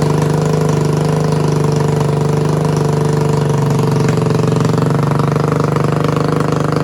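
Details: Yamaha 225DR Tri-Moto under restoration, cold, choke given by hand: strong, even single-cylinder beat at a fast idle that stays steady the whole time; engine runs clean and healthy, though rear swing-arm bearings are worn out.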